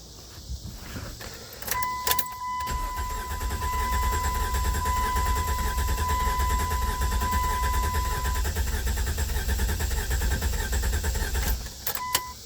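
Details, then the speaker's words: 1998 Chrysler Cirrus LXi 2.5 V6 after new fuel pump assembly and fuel filter; steady starter cranking about 3.5 turns per second, never catches, no fuel felt in hose; crank no start, fuel delivery suspected. "Might hook the battery charger up on it and whirl it over some more, but it hasn't seemed to make my no start issue go away."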